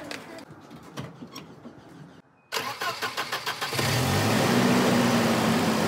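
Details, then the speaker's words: Volvo 240 after replacing the idle air control valve: few cranking beats, catches, then settles into an even steady idle, idle screw all the way in; idle fixed, sounds much better. "that sounds a lot better I think idle screw all the way in that's good"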